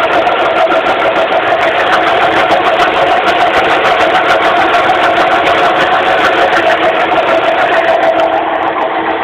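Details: 2006 Suzuki Forenza idling with the hood open, a loud, steady mid-pitched hum over the engine; owner suspects a failing power steering pump.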